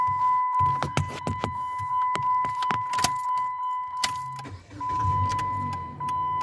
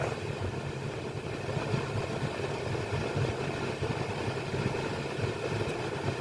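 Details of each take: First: 2016 Jeep Patriot: quick uneven clicking from behind the dash, about three a second, over a chime and engine idle; failing HVAC blend door actuator, replaced with a different-brand part. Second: 2016 Jeep Patriot after replacing the HVAC blend door actuator that was clicking: a steady, even engine idle with no clicking, ticking or beeping from the dash; the actuator now works quietly.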